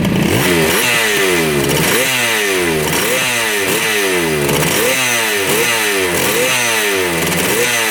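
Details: 1975 Yamaha RD200 two-stroke twin, first start after 20+ years in a barn, 40:1 premix: crisp, ringing note blipped up and down about once a second, both cylinders firing cleanly and hot; running healthy.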